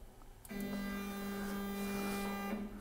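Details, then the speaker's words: Stratasys Dimension BST 3D printer retrofitted with Smoothieboard and G540 driver on 48 V supply; Y-axis stepper jogged, clean steady hum for about two seconds, even pitch, no grinding or skipping; normal stepper motor motion. "So, that moves just fine."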